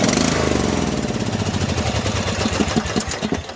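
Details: 14 HP Briggs & Stratton engine in a Murray riding mower, fuel tank empty, parking brake on: steady cranking thumps turn into a few quick firing pulses that fade; catches briefly on what little fuel it had.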